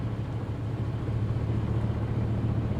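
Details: Corvette C6 with 216,000 miles, low on fuel, started at auction: low, heavy idle with an uneven pulse of about 220 beats a minute that wavers instead of settling; rough idle, cause unclear.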